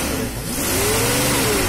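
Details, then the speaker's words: Nissan Caravan/Hiace van on a gas kit, after repair for misfire, poor pickup, vibration and ticking: revs up cleanly with a smooth rising note, no missing or ticking. Sounds healthy under throttle. "তো আপনি লক্ষ্য করলে বুঝতে পারবেন সাউন্ডটা কত তফাৎ হয়ে গেছে এখন, ভিতরে আগে কিরকম ছিল কিরকম।"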